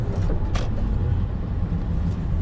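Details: BMW E39 540i driving after a driveshaft replacement; the car earlier had rattling: even low rumble at steady road speed with no rattle, clunk or vibration beat; the driveline is quiet and healthy.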